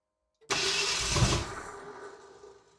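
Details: 1978 Ford Bronco pulled from a salvage yard after sitting for decades, partly rewired, fuel system primed, first start attempt with choke on: about a second of cranking that turns over but never fires, then dies away; cause not confirmed.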